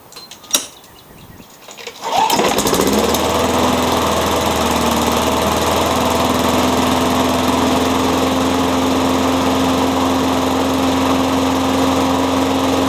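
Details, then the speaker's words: Curb-found walk-behind mower, fitted with a new diaphragm and spark plug, a spare used muffler and a scavenged cable: catches after a pull and holds a steady even drone with no misses or surging; runs well but needs a tune-up. "So it runs pretty good. Just needs a tune-up and a wash."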